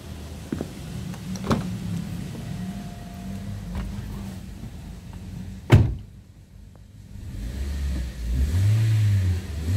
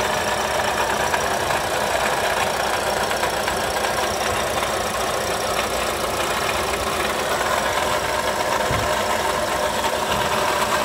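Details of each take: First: Toyota Sienta petrol engine after its water pump was replaced to cure a rough noise heard from the front near the alternator and water pump: idle and five quick, even throttle blips with no roughness; normal revving. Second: Toyota Sienta idling, oil pressure light off: steady gritty rough whirring from the front of the engine bay, loudest near the water pump; worn water pump bearing, fixed by replacing the water pump.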